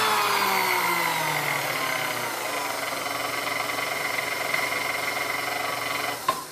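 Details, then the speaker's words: Chrome Sunbeam Mixmaster Model 12 motor during servicing, speed range reaching just past 10: motor whine sliding down in pitch as speed drops, with light uneven ticking; speed control seems to need adjustment. "So it sounds like it needs a little bit of adjustment here."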